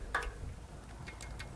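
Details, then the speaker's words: Chinese motorbike, engine stopped at top dead centre on the compression stroke, rocker cover off: a few light sharp clicks as the rockers are rocked by hand; valve clearance present, before adjusting clearances. "You can just hear that. You'll be lucky to see it, but you should be able to hear it click when you rock the rockers by hand, and you should be able to hear the tick."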